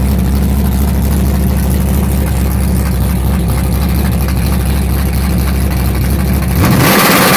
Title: Ralph stubborn misfire